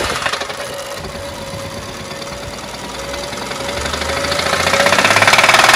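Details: BMW engine idling: rapid, fairly even knocking about three or four beats a second over the engine note; engine knock present, cause unknown.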